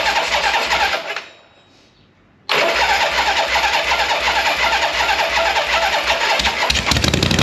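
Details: 1976 Harley-Davidson Liberty Edition Ironhead after rebuild, enrichener pulled; starts, cuts out, then runs fast and uneven well above normal idle, owner thinks idle set screw was turned in too far.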